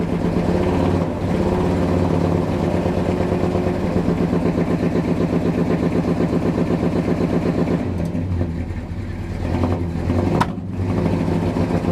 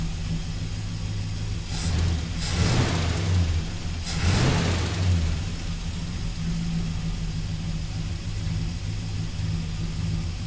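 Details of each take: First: 1971 Dodge Sweptline big-block V8; the rear cylinders had been hydrolocked with fuel from a carburetor leaking into the crankcase. Plugs are fuel-fouled, firing order is correct, oil pressure is good, and blue oily smoke comes off the passenger bank. Stumbling idle with skipped beats, still missing, hitting on about seven cylinders. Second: 1971 Dodge Sweptline big-block V8, after carburetor rebuild with new gaskets to stop fuel filling crankcase and hydrolocking rear cylinders: quick throttle blips then steady, even low idle, no stumble or smoke; running clean.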